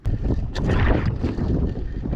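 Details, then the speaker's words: Newly bought boat's engine, fuel hooked up: uneven low churning as it is cranked over and over, turning but not catching; hard start, though it eventually starts. "Why isn't it starting this time? It's starting. It's trying to start anyway."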